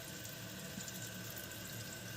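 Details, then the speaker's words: Kohler toilet with a canister flush valve, after replacing the canister seal gasket to fix a running toilet: steady, even hiss of water refilling the tank with no surging. The tank appears to be holding water; normal refill. "It's filling up, so that's a good sign."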